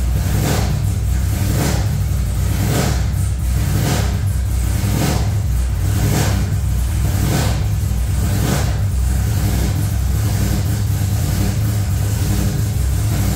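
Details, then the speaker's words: V8 just fired up: heavy rumble with ragged, stumbling lope and periodic surges; one bank misfiring from a disconnected coil ground wire, first suspected as ignition wires. "we better check ignition wires yeah I think we're missing one or something"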